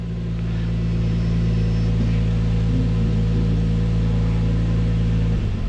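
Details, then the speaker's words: Infiniti G35 V6 at idle during an injector balance test: steady idle turns lumpy and uneven when injector number five (the misfiring cylinder) is disabled; returns to normal when re-enabled, suggesting injector is fine and spark plug or coil suspect. "I'm going to turn off the injector number five"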